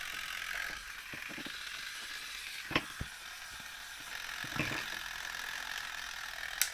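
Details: 1972 Zelmer SC hand dryer, unmarked timer switch module removed for inspection, spring-wound automatic timer (about 2 minutes): faint, sparse mechanical ticks and clicks as it winds down. Normal clockwork timer.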